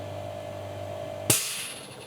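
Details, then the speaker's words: Sil-Air 15A oil piston airbrush compressor runs around 42 dB with a quiet steady hum, then a sharp air burst at full tank jumping to about 60-70 dB for some 30 seconds; normal pressure release. "Okay, so yeah, when it when it does the thing, it jumps to something like 60 or 70, but for just 30 second and then it drops back down. Um, but to be honest, it's not annoying."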